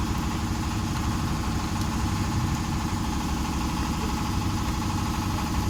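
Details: Honda Vario 125 scooter idling steadily with an even putter, no misses or surging; fuel spray judged normal.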